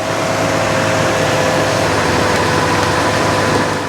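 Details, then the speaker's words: 2006 Toyota Tundra with a dead 1.9-volt battery, just jump-started with a UIBI S600 portable jump starter: engine settles into a steady idle under a loud wash of noise, no stumbling or odd knocks; running fine. "as you saw this had no problem at all starting that Toyota Tundra with a dead battery"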